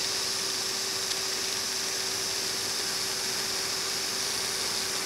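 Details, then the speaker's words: Failing hard drive after its spindle bearing was heated with hot air: spins with a steady low whine under a harsh rough grinding hiss from the spindle bearing; barely spinning, initialized in PC-3000. "all right so now I'm going to go ahead they've heated it for a little bit and turn it on and you can hear now it's grinding a bit but it is spinning"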